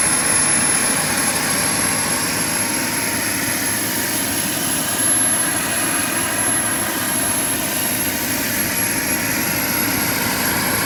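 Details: JetCentral model turboprop turbine on a test stand during start-up testing, temporarily fitted with a wrong-size test propeller: even hissing turbine rush with a faint high whistle, no surging or rattles; normal, healthy running.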